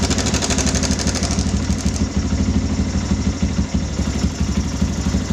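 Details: Yamaha Bison modified bobber, single cylinder, at idle after cam chain tensioner adjustment: even steady beat about three per second, no rattle from the timing chain; noise returned later, tensioner suspected faulty.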